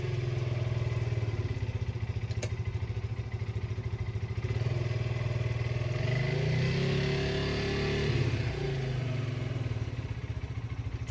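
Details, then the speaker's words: Yamaha Breeze 125 on its first start after two years in storage, with a slight fuel leak: small single-cylinder idling with an uneven, stumbling beat and occasional hiccups; rough running, which the owner puts down to sitting for two years. "all right so we got a moving and grooving got some hiccups tour but you know it's to be expected to be a set for two years"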